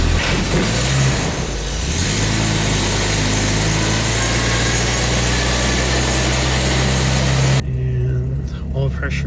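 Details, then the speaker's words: Classic V12 Jaguar started during winter storage after priming, with a faulty oil warning light connection and a tachometer not working: short crank, then it catches and settles into a smooth, even idle with a steady low hum as oil pressure comes up. "but yeah it's coming into life all pressure is coming out this old b12 it starts up"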